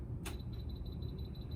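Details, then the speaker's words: Large format laminator switched on with its emergency stop button pushed in: rapid high-pitched chirping beeps, about ten per second, over a low room hum; twisting the button out clears it. "sometimes these will get pushed in so when you turn it on it makes this crown a crazy beeping sound it sounds like this"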